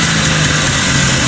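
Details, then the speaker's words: 1980 Yamaha Enticer 300cc two-stroke race sled, previously only ran on choke, after carb clean and fresh plugs: loud, ragged, blubbery uneven running, loaded up with fuel; owner suspects a clogged carb passage or failing fuel pump. "pretty poorly. This carb setup is not so good."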